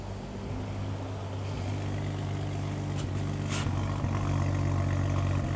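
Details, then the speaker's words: 2015 BMW 640i with the N55 engine, 68,000 miles, check engine light on, camera near the exhaust: a low, steady idle burble broken by an occasional skip and uneven beat. An intermittent misfire, recreated at idle before scope diagnosis. "all right so you can hear it we got a little misfire there"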